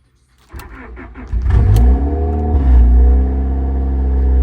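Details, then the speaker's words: 1989 Honda Civic EF sedan, previously non-running, first start after cleaning corroded connectors; brief crank, then it catches and revs to a steady, even run, no misfire; owner suspects a bad alternator; normal start and rev. "Pretty decent. That's an oldie, but it doesn't sound too bad."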